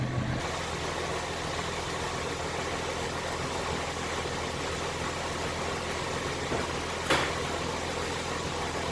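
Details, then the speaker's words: 2015 Nissan GT-R Gentleman Edition, 550 hp, revving on stock dump valves before swapping to aftermarket ones: steady idle with a light blip near seven seconds and a brief whoosh after it, no knocks or rattles; healthy. "donc aujourd'hui on va lui remonter les dom balfe donc vous faire écouter sans les deux bâle et après avec les angels"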